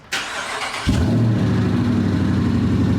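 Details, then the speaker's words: 2018 Dodge Charger police car Hemi V8, first start after new 3-inch exhaust with silencers: catches instantly, settles to deep, steady, even burble; throatier but not too loud. Normal start and idle. "Oh, yeah. Oh, yeah, it's throatier. Way throatier. It's not absurd, you know what I mean? Like it's not too loud."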